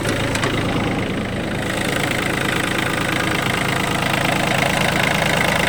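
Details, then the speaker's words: Yanmar F180 three-cylinder 18 hp 4WD Japanese mini tractor diesel, only 122 engine hours, started without problems and idles steadily, even firing, no misses or knocks; healthy. "Запустился без каких-либо проблем. Работает ровно."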